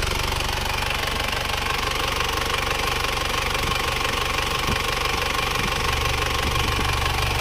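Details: Isuzu Panther Touring diesel at working temperature after engine overhaul with liners restored to original; earlier it smoked a year after a previous rebuild. Now a smooth, even idle clatter of about four beats a second, no misses or knocks, no dipstick blow-by, clean exhaust.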